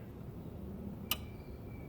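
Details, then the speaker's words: Mach 1 Mustang turned to start: one sharp click from the engine bay, possibly the solenoid, then nothing while holding the key in crank, no starter spin; cause unconfirmed. "so there's a clip from something up there i don't know if that's the solenoid switch or what that is"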